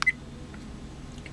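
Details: Lightdow action camera: short sharp high beeps, a quick pair then one more after a pause, each marking a normal mode change via the front button.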